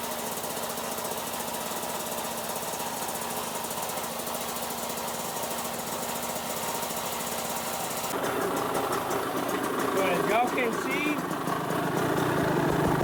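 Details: Kawasaki KX65 two-stroke after two weeks of repairs (muffler packing replaced, exhaust cleaned, air filter oiled, broken drain plug fixed, oil changed) starts and runs steady and crisp at about four firings a second, with a throttle blip; running normally.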